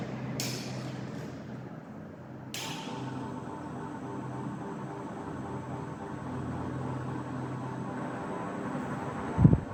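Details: 15-year-old ceiling fan, tested at low and high speed: steady low hum with faint constant tone and a couple of light clicks in a quiet room; motor hum.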